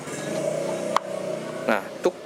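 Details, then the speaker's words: Harman Kardon Omni 20 speaker with a crackling-sound fault caused by its mute control, worked around by cutting the mute line: sharp thumps and pops over quiet hiss at switch-on; otherwise plays fine once paired. "resikonya itu ketika saya nyalakan itu akan ada bunyi jeduk seperti itu ya."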